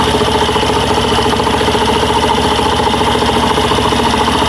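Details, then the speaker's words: Suzuki Burgman Street scooter after fixing noisy CVT, cold morning start at one bar temperature: steady even idle without belt squeal, chirp or rattle; CVT noise gone, normal idle. "Hindi na po umiingay mga bossing. Nasa bali yung ingay niya is normal na lang po mga boss."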